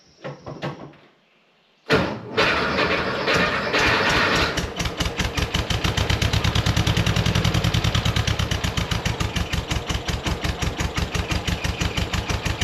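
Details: 1965 VW Beetle convertible, unrebuilt original engine, low power: after starting, the idle chuffs unevenly with a lumpy beat and missing pulses, not running on all four; one cylinder around 90 psi compression versus about 104 on the running side; misfire from low compression.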